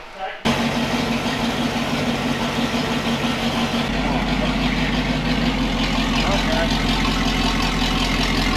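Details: Jeep YJ idling right after first start following floor and wiring work, after an earlier no-injector-pulse, no-fuel attempt; engine catches fast and idles evenly, exhaust leak puffing audibly (newly built exhaust leaks).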